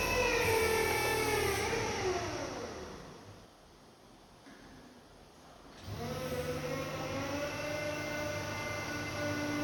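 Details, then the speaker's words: JLG H340AJ boom lift during the oscillating axle test after the axle lock wiring was corrected: pump whine fades, then kicks back on to keep pressure in the two axle cylinders; normal hydraulic cycling. "The interesting thing with this that I notice now, as the axle oscillates, you'll hear the hydraulics kick on to keep the pressure up in those two cylinders."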